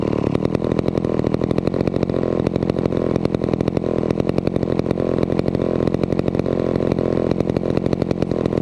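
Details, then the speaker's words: Vintage McCulloch 250 chainsaw after restoration, reassembled and running: a steady, even two-stroke buzz holds a constant speed with no misses or surging. It purred along and ran fairly well. Normal running. "as you saw with the 250 we got it up and running really nicely it it purred along and um seemed to run Fair fairly well"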